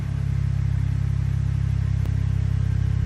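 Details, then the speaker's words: 2013 Ford F-150 3.5L EcoBoost at idle after refitting a Ford factory coil on cylinder 4 replacing aftermarket coil: smooth even low drone, unbroken firing rhythm, misfire gone. "Look at that. Number 4 is beautiful. And that's the fix. Putting the same Ford factory coil back on there."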